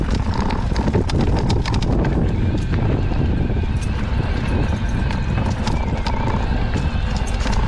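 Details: Fox 38 mountain bike fork, back from warranty service weeks ago: sharp irregular cracks and creaks over trail rumble as the fork compresses over roots, rocks or pumping; will be sent back for warranty again.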